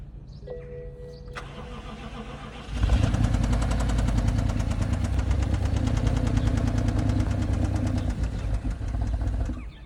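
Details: BMW X6 on weak battery: starter cranks, engine catches quickly into a fast, fairly regular ticking knock over rough idle; cause unclear.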